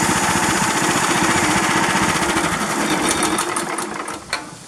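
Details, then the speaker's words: 13.5 HP Briggs engine, plastics off, after ultrasonic cleaning cleared the blocked carburetor idle passage: settles into an even, steady idle after a throttle blip with no surging, then eases down cleanly; idle fixed. "So well, that's encouraging because it doesn't have that surge, the surge like it was doing, and it's not dying."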